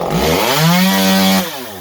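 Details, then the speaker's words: Stihl MS192T chainsaw. The engine screams up, holds a wavering high note, then sags unevenly back down, running rough and unsettled. "they're not running right today, okay, because I haven't tried tuning them. I just started them up and they didn't run right, so I'm like, nope, not fighting it, okay?"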